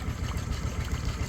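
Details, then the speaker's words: Fishing boat engine, first crank-up after marine engineer's repair: low even burble with steady beat and cooling water dribbling out, no knocks; smooth normal idle after repair. "so yeah okay you're gonna hear it oh she purrs dribble dribble"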